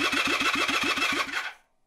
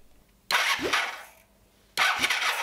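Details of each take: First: 1978 Honda CB400T with heavier battery fitted, kill switch engaged: brisk, even cranking about six turns a second with steady compression pulses, oil pressure light goes out; starter spins engine strongly, though no spark found. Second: 1978 Honda CB400T, not run for a very long time: four bursts of steady starter cranking with oil pressure but no firing; no spark, kill switch suspected.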